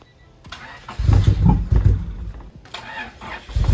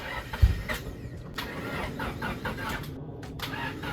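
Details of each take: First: Honda Civic EG hatch project car, long-sitting with treated old fuel and weak battery: short crank, then engine catches with a few uneven low thumps and keeps running; starts fine. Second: Honda Civic EG hatch, sat unused for a long time, with fresh fuel added: long, labouring crank attempts broken by short pauses, engine never catching; weak cranking from a drained battery.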